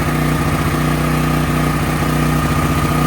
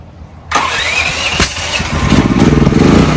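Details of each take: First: Brand-new DuroMax XP13000EH dual-fuel generator on propane after replacing the spark plug with an NGK: loud, even engine drone with steady firing beat, no popping or misses; running properly, spark plug change was the fix. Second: Brand-new DuroMax XP13000EH dual-fuel generator on propane with a fresh NGK spark plug replacing the stock one: cranks a couple of seconds with one sharp pop, then catches and settles to steady idle; a starting backfire.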